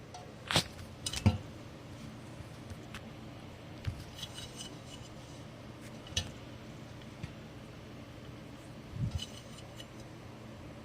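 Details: Hunter Studio Series ceiling fan with good bearings running quietly: soft low hum and only a few light, irregular clinks.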